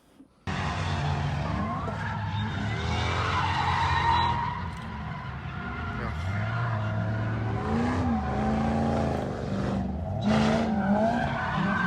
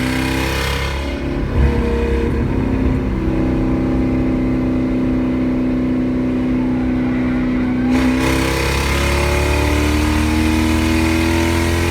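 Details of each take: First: I was blown away with just how much that little supercharger whines. Yeah, it's spinning a lot faster than it probably should do, which is part of the reason for the noise, I suppose. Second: 1UZ V8 Toyota Soarer drift car with decat pipes cut so close to the rear they act as divided straight pipes: extremely loud, echoing under the car, rough uneven gurgling burble between revs.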